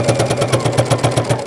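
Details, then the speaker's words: Sewing machine pounding with heavy even thumps about eight a second on every stitch through the thick layers, caused by a needle that is too big. "is it pounding like that ah why is it pounding what am I gonna do what is that what is that pounding noise it shouldn't be making that noise"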